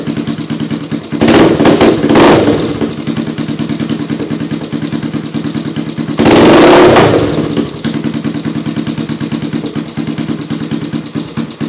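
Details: Honda 350X single-cylinder with a DG exhaust, newly started: idling with a rattly top-end tick between two throttle blips; owner suspects the cam chain tensioner, not confirmed.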